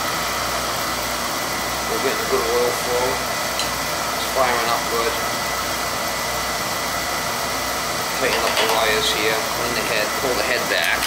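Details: Beckett oil burner that kept tripping its safety control, after loose wires were found and oil flow checked: steady, even flame roar with fan hum, no surging or puffing; firing cleanly. Head possibly too far forward; electrodes to be reset.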